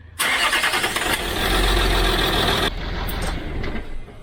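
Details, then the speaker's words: 2006 Land Rover Discovery 3 diesel after restoration and new trigger wheel, first start: cranks, catches, then runs lumpy with stumbling idle; cylinder 4 injector not firing, fault absent on second start. Misfire, injector not firing. "Cylinder 4 injector is not firing."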